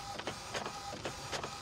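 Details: Epson L565 printer: even repeating printhead passes about every 0.4 seconds with light whirr, no grinding; printing normally.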